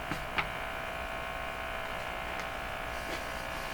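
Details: Stromberg Carlson Model 515 radio, likely on the AM band with volume around 20%: a steady, even buzz with a thin hum through the speaker, no change. Speaker buzz, source not yet found.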